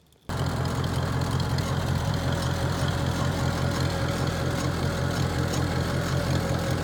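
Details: 1949 Farmall Cub: a steady, low, even chugging from the moment it catches, with no misses or knocks. Normal idle.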